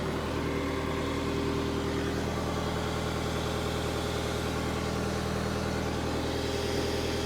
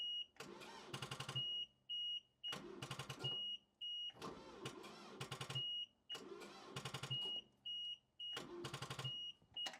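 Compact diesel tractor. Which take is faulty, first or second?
second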